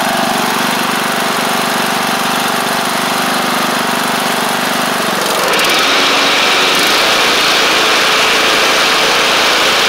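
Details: MTD Craftsman LT1500 riding mower with replacement engine, finished after crankshaft oil seal replacement: even single-cylinder putter at moderate speed, brief pitch rise that settles; no longer over-revving, healthy.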